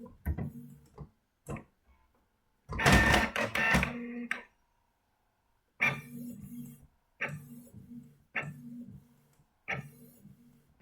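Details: New Canon inkjet printer making a colour copy: short whirring carriage passes about once a second with quiet gaps and paper-feed clicks; normal operation, copy came out clear with no blur.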